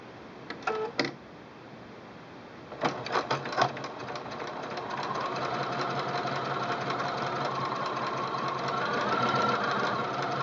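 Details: Singer Quantum L-500 sewing machine, straight stitch with needle-up engaged: a few sharp clicks as presser foot drops, then an even quick stitching chatter; normal sewing operation.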